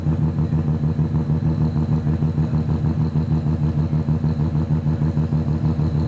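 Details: Mazda FC RX-7 rotary engine at dyno day, a little smoky: even rapid brap at steady idle, both rotors firing cleanly; sounds as it should, unlike yesterday's one-rotor lawnmower sound.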